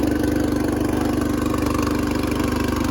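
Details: Riding lawn tractor with 13.5 hp engine, started on choke: settles into a steady, even idle around two beats a second with a clean hum, no knocking or missing; runs fine.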